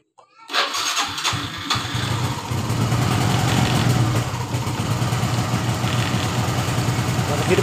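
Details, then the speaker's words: Honda Revo FI that was hard starting hot or cold, after replacing a cracked part: starter whirr, then the engine catches at once and settles into a steady single-cylinder idle; starts normally now. "perhatikan normal ya teman-teman motor langsung hidup dengan normal"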